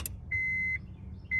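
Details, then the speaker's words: 2002 Acura RSX K20A3 after an auto-to-manual harness swap, missing ECU ground fixed: at key-on, two short steady high tones over a faint low hum. The fuel pump now primes normally and the ECU has power. "fuel pump is on turn off turn on again getting up some gas i can hear that you can hear the relationship from the fruit pump also"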